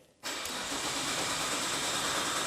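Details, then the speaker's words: Imported Nissan GT-R of unknown history cranks steadily and evenly, turning over freely but never firing; fuel pump is powered but only getting about 5 volts, wiring faults suspected, not confirmed. "The engine sounds good. Even though it's not starting, it sounds good."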